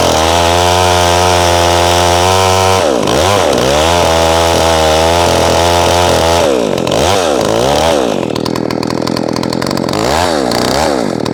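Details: McCulloch SP-125 chainsaw with .028 jet, full throttle cuts getting warm: high thin scream, revs surging and dropping between cuts; sounds lean; wants .0285, ordering .029 jet.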